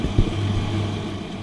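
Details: Electrolux/Simpson 39P400 3.5 kg dryer after repair (door catch striker plate; start capacitor, heater thermistors and door catch checked): steady low drum hum and even motor drone with no knocks, scrapes or squeals; running smoothly, normal operation.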